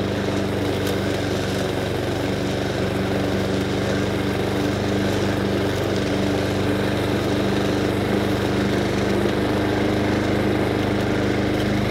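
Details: Honda Harmony II HRS216 lawnmower after carburetor service and tune-up, warm, at low idle: low, steady putter holding even throughout without hunting or surging; idling cleanly.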